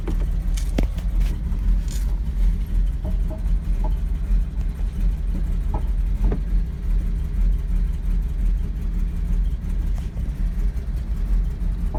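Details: 2002 Porsche Boxster 986 cold start after sitting under a year: uneven idle with deep rumble and scattered sharp knocks, white smoke and bad smell during first minute, normal after about 2 minutes.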